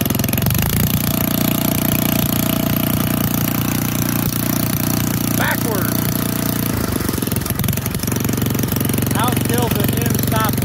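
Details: Old auction-bought Montgomery Ward tiller on first start-up test, choke pushed off after starting on full choke: the small single-cylinder holds a steady, even putter without stumbling or surging. Running cleanly.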